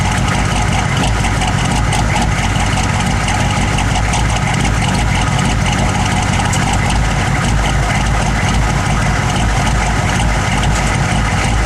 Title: 1009 rough idle